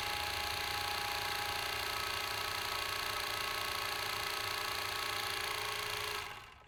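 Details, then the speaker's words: Overlock sewing machine run on motor after repair: even whir and fast soft ticking, then spin-down; the previous continuous knocking stopped because the needle bar no longer touches, gap restored. "पहले machine जो खट खट खट continue आवाज कर रहा था वह आवाज बंद हो गई क्योंकि मशीन का यह जो गज है देखिए वो यहां पे टच होना बंद हो गया"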